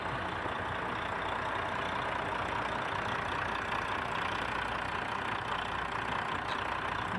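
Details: Volvo D13 diesel truck engine with hard-starting issue after filter housing replacement: even, steady diesel rumble with no misses, knocks or surging over several seconds; smooth normal idle after repair.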